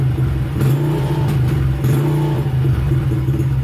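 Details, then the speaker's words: 2006 Honda CRF70F single-cylinder that ran rough on old fuel and would only run on choke, treated with Quickshot fuel treatment before any carb work: idle with choke now off, mostly steady with slight unevenness, warming up and cleaning up; rough idle improving. "I've got the choke off, and it's finally cleaning up a little bit. So I had half choke, and so kind of combination of warming up and then the Quickshot getting in there and doing its job."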